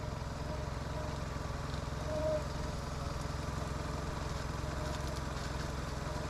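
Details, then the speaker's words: Boat engine that had lost power and stalled and would not restart; the broken fuel line was replaced, then the faulty IAC valve. After the IAC fix it runs with a steady, even low drone and a smooth idle with no misses or surging: normal idle. "All right, here goes nothing. That's it. IAC fixed it. Crazy."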